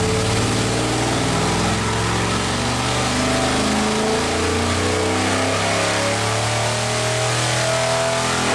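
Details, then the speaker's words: Mopar 451 stroker big block (400 B block, cast iron heads): climbs steadily under throttle, then the pitch flattens near the top as if hitting a wall; won't rev any further, cause unconfirmed. "You can hear and visually see where the motor no longer wanted to rev. It was getting to a point where it was just hitting, we would call it like a wall. It just did not want to rev any further."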